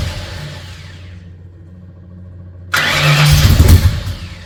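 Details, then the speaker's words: Freshly rebuilt Ford 302 Cleveland V8, Holley Sniper injection, new electronic distributor, first start: low murmur then loud rough firing that surges and sags as it struggles to catch; owner suspects lifters needed to pump up with oil. "But it took a little bit to start up. I was a little bit worried, but I think the lifters needed to pump up, get some oil in them."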